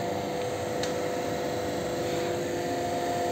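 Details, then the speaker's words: Newly fitted blower fan on homemade gas-cylinder stove, powered from a jump-starter charger, switch on medium speed: soft, steady whoosh with faint even hum, no rattle or wobble; runs smoothly and normally. "Вот это бандура стоящая гудящая Я думаю слышно прекрасно как она гудит создавая фон такой на мозги ну и соответственно вентилятор кнопочка здесь у меня среднее положение"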